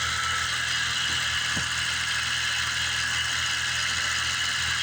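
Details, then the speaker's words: Steady fast hum on a 1988 BMW 535i E28 (M30 engine, mostly new fuel system) as the coolant temperature sensor is unplugged, faking minus 40 °C. Idle jumps from about 700 to about 1550 rpm and vacuum rises to about 21. "And then we're gonna come over here and just pull off the coolant temperature sensor. You can hear the RPMs jump immediately."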